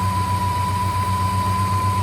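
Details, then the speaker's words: 1958 Studebaker Golden Hawk after freeing a stuck carburetor needle and seat that kept the bowl from priming: a steady, even idle with regular low pulses and no misses. The engine is running smoothly after the repair. "All right. All we had to do was unstick the needle and seat. Not bad."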